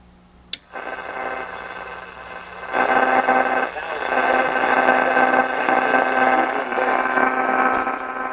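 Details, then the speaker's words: 1947 Chevrolet car radio with old vibrator supply, sluggish to start: harsh buzzing hash surges through speaker on startup and stays rough; worn vibrator on its last legs, solid-state replacement suggested. "it's real hashy now oh cleaned up yeah that vibrator's on its last legs it was good enough to show us the set works"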